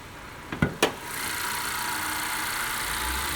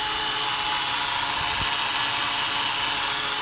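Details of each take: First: 2015 Honda Accord steady petrol idle with even hiss and no whine after two sharp clicks; after replacing the belt tensioner bearing, the supercharger-like whine that rose with speed is gone. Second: 2015 Honda Accord with a supercharger-like whine for about a month, at idle and on acceleration: a steady high-pitched whine over the running engine from a worn belt tensioner pulley bearing, found by stethoscope.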